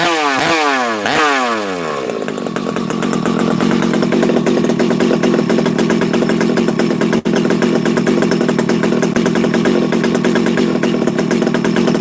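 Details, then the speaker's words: Husqvarna 371xp chainsaw, first start after a rebuild with assembly oil still in the bottom end: a few pulls, then it catches and burbles unevenly at low speed. It runs rich while the assembly oil burns off. "a couple things here friends you hear how you hear how rich it is on the bottom this thing's got oil"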